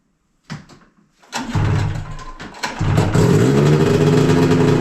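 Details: 2000 Yamaha SX500R snowmobile after coolant swap, head gasket, brake pads and oil leak repair: a couple of short tries, then it catches and settles into a steady, even two-stroke idle; oil light on only from low oil.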